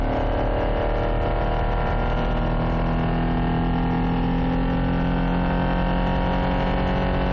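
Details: Toyota Carina 1.6 16V with one bad injector, attributed to bad fuel (owner thinks); loud uneven idle with lumpy, stumbling beat as one cylinder misses: misfire from faulty injector.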